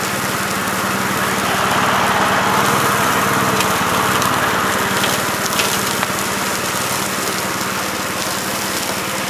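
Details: 1969 Gravely C8 walk-behind tractor, single-cylinder engine fired up in the morning after repairing its no-high-range fault (worn ring found): quick, even beat around 220 a minute without stumbles or knocks; running healthily.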